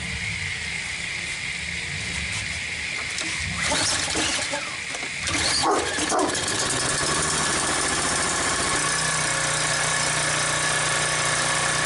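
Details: Troy-Bilt pressure washer with 875/887-series ReadyStart engine (no prime, no choke), slightly flooded after carburetor cleaner was sprayed in: a few rough cranking bursts on the pull cord, then it catches and settles into a steady, even run.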